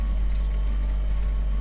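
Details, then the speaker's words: Hotpoint fridge freezer recorded at the back of the fridge at the compressor, which pumps refrigerant as part of normal cooling: steady low hum with no rattles or clicks; normal compressor hum. "or buzzing so here we are round the back of the fridge and that noise that you can hear is coming from here the compressor now this is essentially a pump that's pumping refrigerant around your fridge as a normal part of the cooling process"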